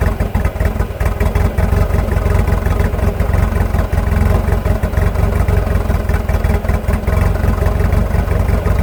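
Uneven, lumpy idle with irregular stumbles in the low exhaust note and a light clatter on top; rough running, cause unknown.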